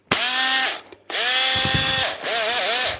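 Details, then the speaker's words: Power drill on the bench runs once and stops, whine spinning up and dying in three short sagging bursts; runs when given a kick, worn brushes hoped to be the cause, not confirmed. "sounds bad runs when you give it a kick that means it's just brushes hopefully"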